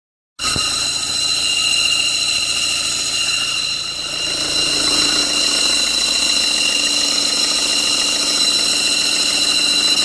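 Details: Engine idling steadily under a loud, constant high-pitched whine, with faint uneven ticking later; abnormal engine noise, source not pinned down.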